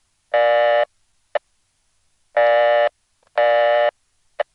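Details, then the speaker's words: Long Island crossbar 5, downstate New York: a dialed code that was never wired terminates after seven digits on this tone, half-second bursts of a steady mid-pitched buzzy tone with short gaps. "so that's a code that hasn't been wired and it just ends up timing out to a reorder"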